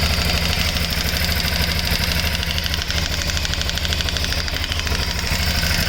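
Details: 2008 Shiver 750 at steady idle: fast, uneven metallic rattle over the firing beat with a thin hiss on top; source of the rattle unclear.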